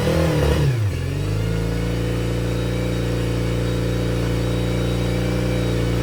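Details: Yamaha T50TLRD 50HP outboard after head decking and new head gasket: settles to fast idle after rev with lumpy uneven beat, one cylinder dropping out.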